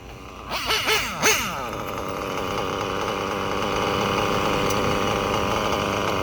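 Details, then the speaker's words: Reds nitro engine, bottom-end needle richened after running too lean and revving erratically: a few sharp blips, then a steady high buzz holding pitch without sagging or surging; now well tuned and healthy. "Just like that, y'all. So like I say, you just gotta know what to listen for, what to hear, and what tones and how the engine reacts to know what tune, what needle to turn."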